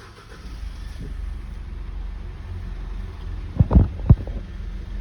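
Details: Mitsubishi Pajero diesel final check after service, tune-up, engine oil and fuel filter change: brief cranking and catching, then a low steady even idle; start sounds healthy.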